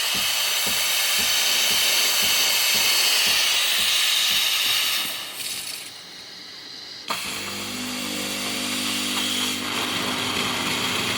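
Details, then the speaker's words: Sage/Breville Barista Express after repair: a faulty solenoid had burned out the PCB's TA4 triac and Q7 transistor, leaving no steam or hot water. Now a strong, steady hiss of steam briefly cuts off and returns just as forceful, so the steam wand works normally. "Uh, but the faulty solenoid took out the triac and the transistor. Uh so that's why it wasn't switching to steam into hot water. And look at the steam now"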